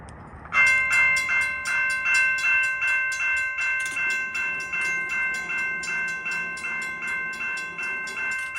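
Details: Railroad crossing signals tested after repairing the Model 3590 gate mechanism: clear bell rings steadily at about two and a half strikes per second, evenly spaced, no gaps; signal working normally.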